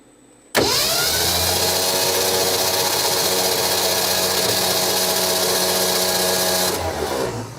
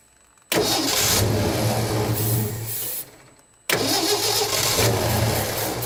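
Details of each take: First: 1967 Ford F-100 with 240 engine, sitting 30+ years, spark plugs out, checking oil pressure: smooth even starter whirr for about six seconds, no firing; normal cranking, oil pressure building to about 40. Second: 1967 Ford F-100 with 240 engine, first start after 30+ years, low on fuel, carburetor likely gummed and leaking at the accelerator pump: catches twice, runs unevenly, sags, dies and refires; rough running, owner suspects fuel delivery.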